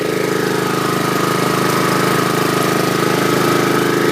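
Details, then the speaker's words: 2011 Troy-Bilt 21" push mower with Honda GCV160 engine: even steady drone with a quick regular firing beat, no misses or rattles, quiet muffler; normal running. "So that was a success story on the Troy-Bilt Honda. It's got a nice smooth sounding muffler, nice and quiet."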